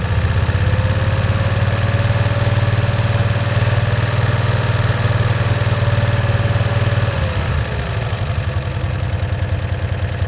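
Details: 1965 Cushman Truckster, in neutral after sitting over a year: loud, uneven thumping idle about three beats a second, then sags and pitch drops as it chokes out; rough running, won't accelerate, stuck choke suspected.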